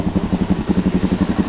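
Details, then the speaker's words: Suzuki DRZ400 single-cylinder first start after stator fix, kick-started cold on low battery with piggyback tank: steady even chugging at about eleven pulses a second, no knocks or rattles; runs, throttle and mixture screw still need adjusting. "First Time start but there's not a lot of gas in here you can see it's on a piggyback tank uh still needs to be locked in um but there you go throttle needs to be adjusted"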